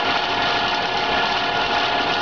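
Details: PMI BRISA evaporative cooler WH2903A, water pump and blower on, after about 60 hours use: fast rattling whir with scraping edge, like failed motor bearing; blower wheel slid out of position rubbing housing, fixed by repositioning it.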